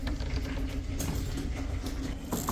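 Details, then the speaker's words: Ford Bullnose shortbed 4x4 pickup, derelict revival. The heater blower whirs with uneven thumps and rattling debris being flung around; owner suspects a mouse nest in the fan cage. Blower fan thumping with debris. "oh yeah you can hear thumping in there and you can hear debris flying around you can hear the mouse turns in there getting circulated or it's just the mouse in there"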